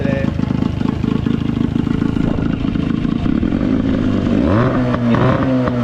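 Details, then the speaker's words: Cheap Johnson/Evinrude two-stroke outboard, idle stop extended to raise idle, spark plugs fouled: fast, even rattle, then revs up smoothly and holds steady with no misses; normal running. "today. This is running pretty damn good."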